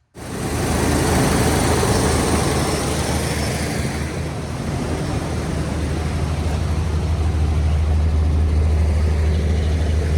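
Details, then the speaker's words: 1981 Chevy C10 after retightening a loose distributor rotor and adjusting valves by feel, valve cover back on: even, deep idle with a steady low hum, no miss, faint valvetrain noise remaining; smooth idle. "well it's definitely quieter it's still got a little bit of noise but I just kind of tightened my feel"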